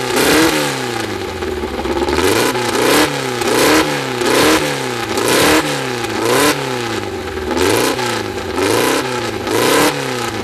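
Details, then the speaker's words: First start of a freshly built air-cooled 2054 flat-four with no final exhaust fitted: loud, raspy engine blipped up and down repeatedly, climbing and settling cleanly each time through an open exhaust; runs strong. "tanto eu quanto a bianca a carta já foi embora já já ficou doida é uma tontura por causa do barulho da vuvuzela é muito brutal"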